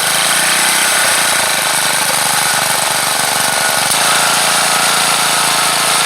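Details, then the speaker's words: Troy-Bilt Bronco tiller single-cylinder gas engine converted to run on propane, no gasoline connected, needle valve opened slowly after it catches; it chatters unevenly, then settles into a steady, even run at working speed: normal running. "But once it attempts to start, then I'll slowly start cracking open the needle valve until it picks up and runs at the desired speed I want it to run."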